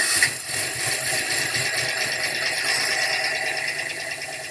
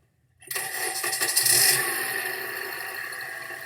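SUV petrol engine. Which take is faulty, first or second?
first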